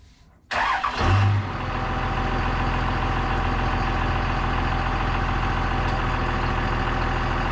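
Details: CMP truck engine after distributor timing adjusted; starter catches within a second, settles into a steady, even low idle with no misses or knocks, noticeably less ticking than before; running normally, still needs more heat.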